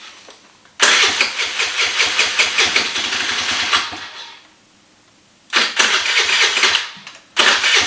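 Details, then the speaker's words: 2013 Kawasaki KFX 50 quad that runs but needs work: the small engine fires up, hunts and surges unevenly, dies after about three seconds, restarts and sags again. It won't hold a steady idle, so more adjustment is planned. "you can hear it here it goes so it doesn't want to idle very good"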